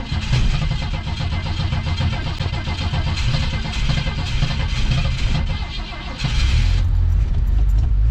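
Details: 1987 Coachmen Classic Class A motorhome gas engine after sitting over six months through winter; pedal pumped ten times, long labored cranking that stumbles, then it catches into a rough but steady run. Hard starting after storage.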